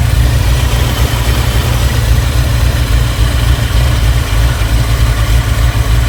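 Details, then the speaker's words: 1986 Chevy C4 Corvette TPI 350 with 700R4, fuel injection replaced by intake and Holley 650 carburetor due to rusted injectors; deep, even, smooth idle with no misfire or knock; carb unadjusted, choke unhooked, loading up slightly. "Sounds pretty good, don't it? is smooth."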